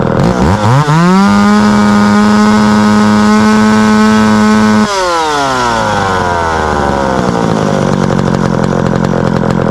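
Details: Small two-stroke after its dried-out carburetor fuel-pump diaphragm was rehydrated: catches, climbs to a steady high buzz, drops back to a settled idle; starts and runs cleanly.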